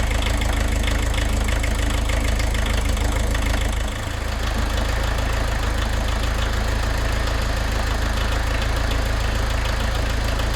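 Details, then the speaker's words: VW camper diesel van idling with heavy, uneven clatter at about three beats per second; rough running from leaking injectors, before they are lifted and checked with a 17 spanner. "So we're never going to get it running as cleanly as possible with leaking pressure off them."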